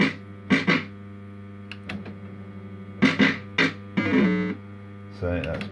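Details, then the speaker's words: System80 machine with healthy sound board, the comparison machine next to one whose sound chip degrades when warm: crisp, clean electronic jingles and chimes over faint mains hum, no crackle or distortion; normal sound output. "So that's how it should sound."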